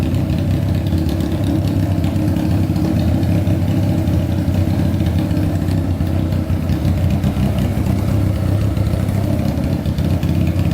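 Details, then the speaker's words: Honda CBR600-engined go-kart with carburetors, after cooling and carb work: steady even low rumble, no misses, all four cylinders running; idle seems set high, fuel pump not working. "all right we're gonna let this idle for a bit see if anything comes on like the fan man that sounds pretty good"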